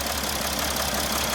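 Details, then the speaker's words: 2013 Mercedes Sprinter 3.0L diesel, codes P0301/P16C200: an uneven, harsh idle with a lumpy clatter and the engine shaking badly. Fuel pressure is good; a misfiring injector is suspected and will be replaced, though the waveforms were inconclusive. "as you can see the engine is shaking very badly okay"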